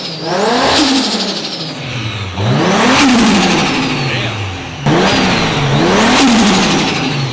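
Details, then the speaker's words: Four-door Toyota Supra (straight-six) after exhaust upgrade: three clean rev blips, deep even exhaust note with no rasp or drone, no more trombone sound; healthy exhaust tone. "it finally sounds like a damn Jay-Z it's not good the sound finally matches the car no more trombone"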